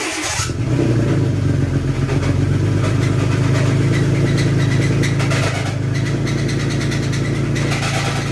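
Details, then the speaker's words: 2018 Toyota Tacoma, first start after replacing a burnt, blown main starter fuse: loud, harsh, rough clattery roar at idle, sounding about to explode; engine judged broken and to be replaced, cause not determined. "Alright, that doesn't sound good. It starts though. It just sounds like it's about to explode."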